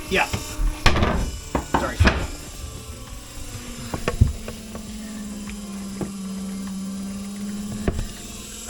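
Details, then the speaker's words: Fresh water pump on a refitted, previously sunken 2021 Leopard 50 catamaran after tanks were cleaned and reinstalled, ramping up when a faucet opens: faint, steady low hum under knocking, super quiet, no leaks at the pump; normal operation. "It just ramped up again when you turn that faucet on. Isn't that crazy? You can hear it, and it's super quiet. Hear it ramping down."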